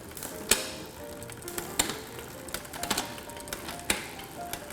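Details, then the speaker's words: Well-used creaky bicycle drivetrain, shifting through cogs and pedalling: light irregular ticks and clicks with no steady rhythm as the cogs shift on the hub; loose cassette lockring that needs a good tightening. "Oh should it be doing that no needs a lock ring needs a good tightening on this one"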